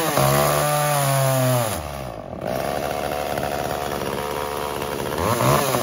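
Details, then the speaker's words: Echo CS-345 chainsaw at full throttle in wood before carb adjustment: pitch sags and drags down as the chain bites; bogging under load from a slightly lean high-speed (H screw) setting, later fixed by richening 1/8 turn counter-clockwise. "so we can hear there it's starting to bog down really when you start to get the saw that chain right into the wood okay so what i think is happening is that this saw is set slightly to lean"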